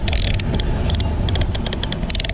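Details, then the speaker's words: Lewmar 58ST electric winch on Amel Super Maramu 2000 after rebuild for noise heard in the Red Sea, gears and pawl springs refitted and oiled: crisp, even pawl clicks, no grinding or skipping; normal winch pawl clicking. "can hear all the pals just clicking nice"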